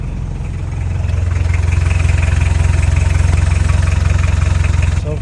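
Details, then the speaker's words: Mitsubishi Pajero 4D56 diesel after replacing left and right engine supports; catches and settles into even idle, about three beats a second, no knock or thud; earlier noise gone when driving; normal start and idle. "far so good. Wala nang ingay niya pag nakadrive. Grabe. Okay na siya."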